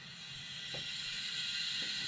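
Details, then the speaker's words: Nissan SR20DET leak-down test (no coolant bubbles at radiator cap): steady hiss of air building at the oil filler cap and PCV catch can, cylinder air leaking into the crankcase; owner suspects leaky valves, not confirmed. "there's definitely air coming out of that yep this is part of the PCV system so this is my cap you know catch can set up there's definitely air coming out of here too"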